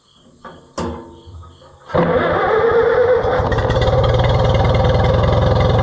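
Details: Oliver 66 tractor brought back to running after repair work: cranks, catches and settles into a steady, even idle with a low beat around three per second, smooth and healthy; normal idle.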